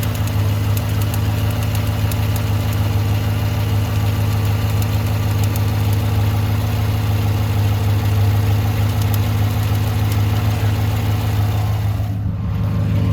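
A steady V8 idle carries a light, fairly regular tick, roughly three per second, riding above the low rumble. Cause suspected, not confirmed.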